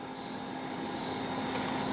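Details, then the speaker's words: Pellet/biomass boiler on startup: pellet-feed motor runs, then three short high beeps about every 0.8 s over a low hum; display shows water pressure alarm, auto-cleaning starts and boiler shuts down without lighting; faulty heating-circuit pressure transducer. "Y me dice, error. ¿Qué error? Presión de agua. Alarma, presión de agua. Y automáticamente inicia la limpieza automática."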